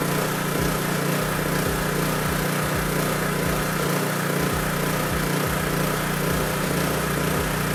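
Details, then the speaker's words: Honda EB3500 generator running steadily on its governor with no hunting or surging: about 60–62 Hz at roughly 3650 rpm unloaded, dropping to about 60 Hz under load. Normal governed running. "as predicted when we first turned it on it was at like 60 62 hertz something like that and the engine rpm was a little bit above 3600 i think it was like 36 60 or 36.50 something like that when we put a load on it it dropped down to about 60"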